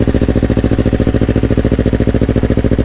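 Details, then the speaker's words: Yamaha R25 fitted with a Yamaha R3 engine, first start after the swap, borrowed Akrapovic exhaust: even, steady twin idle about two pulses a second, smooth, no knocks or misses; R3 block sounds smooth. "Nih knalpotnya pakai Akra dulu. Suara sih nggak beda jauh ya. Blok R3 halus suaranya."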